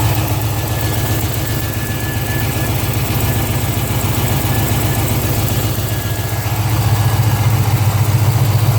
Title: 05 GTO Lifter tick or exhaust leak?